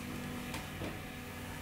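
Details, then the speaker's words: Stratocaster in position 5, neck single-coil pickup alone, unshielded before copper-tape shielding, through an idle amp: steady low mains buzz, noisy compared with the silent position 4. "This is position 5, so it's just a neck pickup, and you can"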